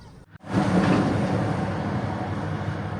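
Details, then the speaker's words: Engine idling with RPM fluctuating up and down, no trouble codes stored: uneven stumbling beat with hunting idle; misfire found on cylinder 4 via waveform. "طبعا تبقى هي المشكله هنا عننا مس فاير هنا ميس فاير هنا ميس فاير"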